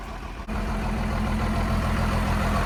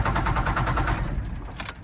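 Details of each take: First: First-gen Dodge Ram D250 5.9L 12-valve Cummins pulled from salvage yard, after swapping lift pump and priming: one short knock, then even, steady diesel clatter at constant speed, no misses; healthy idle. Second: First-gen Dodge Ram D250 with 5.9L 12-valve Cummins, years in a salvage yard: starter churns in a quick even rhythm but it never catches and dies away; no fuel delivered, lift pump suspected bad.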